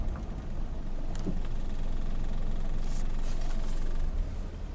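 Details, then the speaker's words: 1994 Ford Probe V6 automatic on test drive: low, uneven rumble sags as the car comes to a stop, almost stalling; torque converter appears locked up, harsh shift into first, transmission problem suspected. "see let's see when I come to a stop it's almost stalling out"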